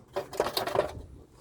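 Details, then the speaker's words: 2007 Toyota Tundra, rusted underside: short bursts of light tinny metallic rattling as loose heat shields are shaken by hand, hitting the exhaust pipe; cause of loud rattle heard while driving. "This is a Well, it's an old truck but it was still running good but it rattles loud but then I know why, man. All of these are all loose."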